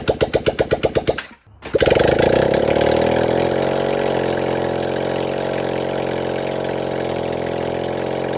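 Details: 1978 Honda CB400A Hondamatic 400, revived after 10+ years outdoors, after carburetor rebuild: a few even cranking pulses, brief pause, then catches and settles into steady, even idle; normal idle.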